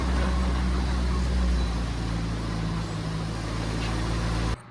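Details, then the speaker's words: Oliver OC3 crawler engine idles fine with good oil pressure but dies under load. A low, slightly lumpy throb sags in pitch, then cuts out abruptly: a leaking head gasket losing compression and stalling. "All right, well, it takes a little bit to get it started, but then it does idle fine. Then as soon as you put any load, it dies. So I think our next step is a compression test."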